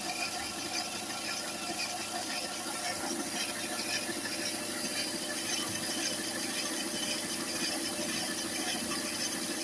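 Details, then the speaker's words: Citroën C4 recorded cold: a high raspy squealing chatter pulsing about once a second above the engine. The timing belt tensioner, newly fitted at a recent timing belt job, was found oscillating heavily; the noise faded once warm. "comme vous l'avez vu on l'entend mais moche moche qui a été fait à froid"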